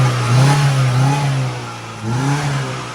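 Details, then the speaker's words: TATA CNG car that would not rev, not cured by a new throttle body, now revs up twice cleanly and evenly with no stumble after new spark plugs; normal revving. "ฮะโอเคเร่งขึ้นปกติแล้ว"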